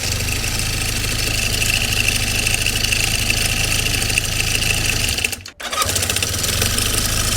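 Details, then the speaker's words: Honda CB400N idling with the valve cover off: a metallic ringing rattle over a steady idle, briefly cutting out; owner suspects excessive cam chain slack, unconfirmed: engine rattle at idle. "Звенит. Допустим ли такой люфт? Мне кажется, нет."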